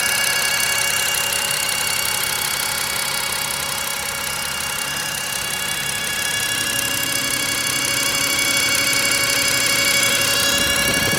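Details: BMW E60 N52 at idle: a steady, piercing high-pitched whine with ringing tones, loudest at the oil filter housing and not from pulleys or alternator. Silent on cold start, louder as it warms. Fresh flush oil, old filter. Cause unknown.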